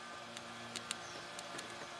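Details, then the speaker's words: 2005 Jaguar S-Type 3.0 V6, sat 3 years, cranks but no start: electric fuel pump powered directly from battery draws about 8 amps, faint hum and light clicks with no spinning; pump mechanically stuck. "try to turn but it's definitely mechanically stuck"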